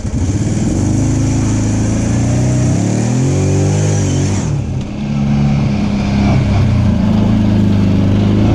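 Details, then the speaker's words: Off-road machine with a CVT, on its first trail ride after being brought back to running, warning light on: engine drones loud and the revs wander under load, bogging without pulling cleanly. The drive belt was slipping and later broke; it was not the timing chain. "Dang it, I know what that is. That's the belt. That light's been on and it's slipping. That's what that is. It ain't the timing chain."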